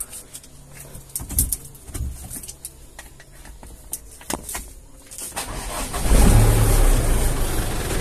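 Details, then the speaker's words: Mitsubishi Canter/Ragasa diesel after starter motor (dinamo starter) repair, broken socket wire replaced with single cable and ignition switch relocated: handling clanks, then starter cranks and engine catches promptly into loud steady rumble; normal start. "Sekarang kita coba starter."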